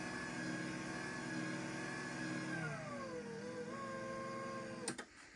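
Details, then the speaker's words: LiftMaster 85503 garage door opener, new in box dated 01/2021 and stored four years, closing on one-touch close: a smooth, steady motor hum drops in pitch as the door slows, then stops with a single clunk. Normal operation. "But I'll grab this 877 I got to successfully program and we'll go ahead and run it just so you can hear what the motor sounds like."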